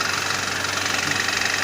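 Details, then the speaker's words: BMW E90 idling: steady rapid sharp ticking knock, tractor-like rattle; owner suspects crankshaft bearing shells worn or spun, engine to be disassembled—engine knock at idle. "Стук в двигателе. Слышите, как работает? Тарахтит. Как трактор. В принципе, что это, я догадываюсь. Скорее всего, коленвал что-то с вкладышами или провернуло, скорее всего."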